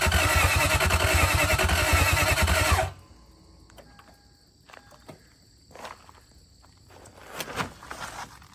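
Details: 2001 Lexus IS300 with a 1UZ V8 swap, third start attempt after the immobilizer reset and after refitting missing block ground wires: the starter cranks at a steady three and a half beats a second for three seconds with no firing.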